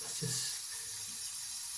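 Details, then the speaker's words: Toilet cistern refilling very slowly, thin steady trickling hiss, taking minutes instead of under one; cause a torn rubber diaphragm in the fill valve. "so the water coming out from here by come out real slow so the guess is there's something wrong with the valve of the thing in here this is taking forever"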